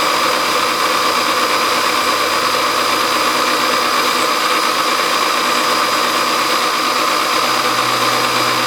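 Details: Milling a brass governor weight bracket at the slowest feed rate: even, unbroken cutting hiss with constant tone, no chatter or squeal; normal steady cut.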